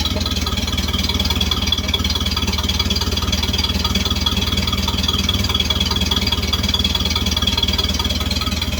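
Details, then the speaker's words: 1931 Ford Model A engine, first run in several years after cleaning tarnished points, freeing a stuck carburetor float and resetting timing, idle lowered: low, even idle thump, steady exhaust beat, no knocks or misses; normal idle. "Sounds good. Has a nice model a sound out of the uh exhaust."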